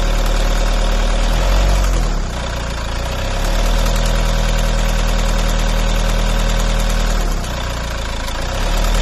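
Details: Volvo V50 idling with a rough, uneven rhythmic beat that swells when revved; strange engine noise, cause unclear.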